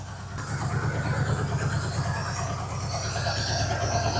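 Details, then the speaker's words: 1981 Pontiac LeMans wagon with swapped Pontiac 400 V8, sat for years, with blowby: uneven, lumpy idle with irregular thump; sounds like a vacuum leak, owner suspects a couple of dead cylinders. "sounds like it's got a massive vacuum leak well I ain't got a vacuum Leake"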